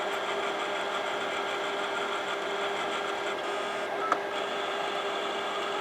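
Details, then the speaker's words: Imation LS-120 SuperDisk drive that reads and writes SuperDisks but not regular floppies, writing to a SuperDisk: steady high whir with one sharp tick near the end; head movement sounds different, though it seems to work. "I do know that the drive does sound a little bit different as well, with the head operation writing to the super disk, so the head does sound a little different moving, but I mean it seems to be working."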